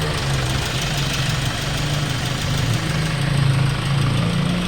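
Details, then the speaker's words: Hyundai Starex D4CB diesel, replacement engine fitted for blow-by, after road test, no smoke, no blow-by at breather, no leaks, normal temperature: low steady idle clatter with mild even beat, no misses or heavy knock; sound idle. "kausok mga Sir kanina pa namin nirad test to Ayan pa umaandar tapos hugutin ulit natin yung breon wala na siy yan Wala na"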